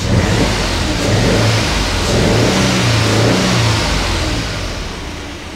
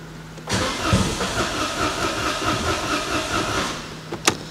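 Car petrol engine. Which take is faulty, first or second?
second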